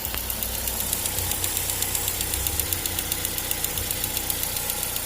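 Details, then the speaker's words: 2010 Ford Focus, warm idle, lines visibly shaking: sharp, slightly uneven ticking rattle about four per second, with vibration felt inside the car and traced to a worn driver-side engine mount. Worn engine mount. "so i'm going to give a little demonstration on the gas and see if you can hear what's going on on the inside"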